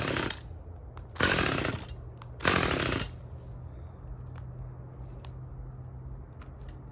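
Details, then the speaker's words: Husqvarna T540 XP Mark III chainsaw, acting up again a month after a new fuel filter, cold start: fires in three short bursts and dies each time; won't keep running; fuel starvation suspected, unconfirmed. "Came back, I don't know, maybe a month later. Hey, it's acting up again."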